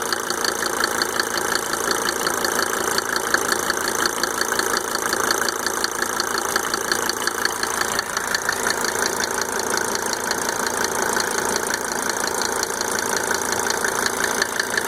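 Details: Mercedes 300D W124 2.5-liter diesel, just fitted with five newly rebuilt injectors with Monarch nozzles: even idle with a crisp tick about three times a second standing out above the clatter; cause unknown.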